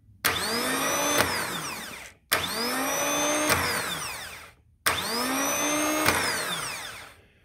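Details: BMW Airhead starter motor, known-good gear-reduction unit, bench-tested with a battery: three strong bursts of smooth whirring spinning up and winding down evenly; starter working properly.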